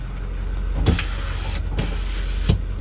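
Short steady electric motor whir with a couple of latch clunks as the rear glass slides; smooth, even travel, window working normally.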